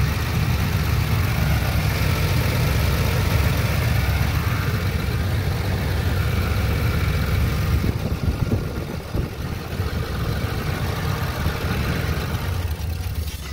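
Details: 2009 Ford E250 cargo van with 4.6 L V8, after replacing a broken engine belt and tensioner. Steady, even idle with a low rumble and no squeal, chirp or rattle from the belt side; sounds healthy.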